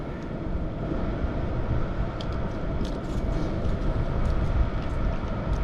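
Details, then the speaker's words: Hcalory TB Max portable diesel heater running outdoors: a steady, even low roar with no surging or misfiring, fairly quiet, burning smoothly and normally. "This is actually pretty quiet. Of course, like this you're going to have set outside, have it vented into your tent or van vehicle."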